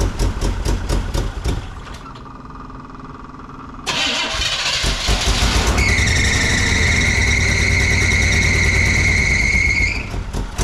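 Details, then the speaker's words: 1975 GMC Jimmy just after start: loud steady high squeal over rough idle for several seconds; owner notes belt issues, replacement water pump, possibly original alternator; engine not running right — belt squeal. "Alternator looks like it could be original. We do have some belt issues."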